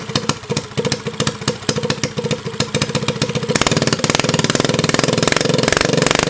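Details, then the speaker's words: Motovox mini bike with a Predator engine swap, left outside for two years: on choke the single thumps unevenly, then picks up. It dies when the choke is opened, a lean mixture; the fix planned is turning the air mixture screw out to richen it. "all right so the problem that we're having now is the bike runs on choke but once you put it onto um basically take the Chuck off it want to turn off"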